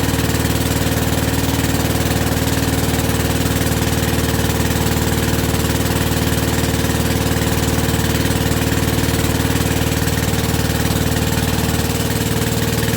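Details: WW2 generator petrol engine after rebuild, first start on original piston with about quarter choke, petrol tap leaking. Steady even idle, regular beat near four per second, no misses or knocks, not smoking even with warm piston; normal.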